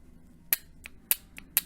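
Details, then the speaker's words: Honda J-series V6 automatic transmission linear solenoid (28250-P6H-024, P0747 code), cleaned of clutch debris and bench-tested on a 12 V battery. It gives sharp, regular clicks with softer return clicks, working correctly. "moving so the solenoid is working correctly"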